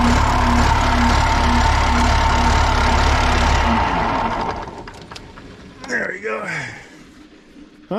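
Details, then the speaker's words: John Deere 890 excavator diesel running after a starting fault, probably the dash key switch: steady, even beat about four pulses a second, no knocks or misses, then shut off. Runs good and strong. "it's nice to see that uh she runs good and strong"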